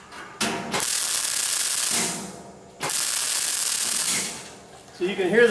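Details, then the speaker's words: MIG stitch welding a lid onto a fuel tank along a 48-inch seam in half to 3/4 inch pulses. Short crackling arc bursts of about two seconds, with light popping as the heated metal expands. This is normal welding. "that's that metal expanding right there because that heat"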